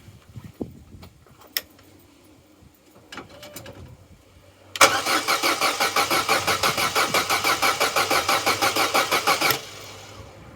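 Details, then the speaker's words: Vauxhall Corsa B that sat neglected 4-5 years, cranking after fitting a new battery: about five seconds of strong, even, healthy cranking at roughly three beats a second, never fires. Cranks but no start. "well positive but also not positive that's a good healthy turnover good healthy crank but no go"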